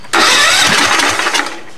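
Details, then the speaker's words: Allis-Chalmers tractor after engine swap, engine freed from being locked from sitting, throttle also acting as choke; brief hard cranking that fades without catching; crank no start, carburetor suspected. "promising very promising it's trying it's trying really hard could be that carburetor interesting very very interesting"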